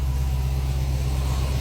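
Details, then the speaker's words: 2016 Dodge Charger, first start after work with headers: deep, steady, even idle with strong low rumble, no knocks or ticks, a little smoke from oil burning off headers; running healthy. "oh yeah boy but she sounds good little Smokey be all right I think she's doing all right though"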